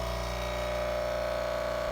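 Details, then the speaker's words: Jura D6 coffee machine during initial setup filter rinse, with the filter inserted and the tank near max: steady low pump hum with a thin, even tone, but no water comes out and the cycle repeats. "and so it makes the noise but there's no water coming up again"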